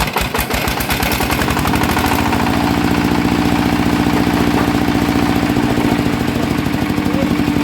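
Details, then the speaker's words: Yanmar 160 single-cylinder diesel brought in with a rhythmic noise, at idle: steady low thumping about three beats a second with a hard clatter on each beat. On teardown the bearing had failed, was loose and had spun in its housing. "[เพลง]น่าจะเป็นลูกปืนแน่นอนนะครับ"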